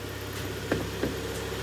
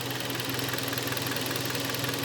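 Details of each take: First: Kia Sportage G4KD 2.0, 13 years old, 160,000 km, automatic, AWD, warm idle heard from outside: quiet, even idle with a faint cam phaser tick, normal for this motor; engine has early cylinder scoring and piston knock when cold. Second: Kia Sportage G4KD 2.0, 13 years old, 160,000 km, automatic AWD: steady hollow rattling knock at idle, about three beats a second, piston slap from beginning cylinder scuffing; barely audible when hot.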